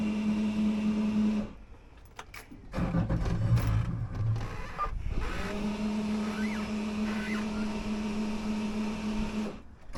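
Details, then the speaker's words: Outboard boat engine after fuel/water separator filter replacement, filter not pre-filled: starter cranks for a few seconds, stops, cranks again without catching; fixed by pumping the primer bulb several times. "Hey guys, so after a few attempts at cranking it, I decided I actually needed to pump the little ball back in the back engine compartment."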